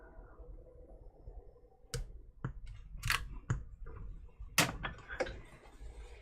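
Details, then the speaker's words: Apple HomePod with DC offset fault, before repair: loose irregular sharp pops and thumps about every half second over near silence from the speaker. "let's bring in Ryan's homepod here with some DC offset symptoms go ahead and take a listen to that here"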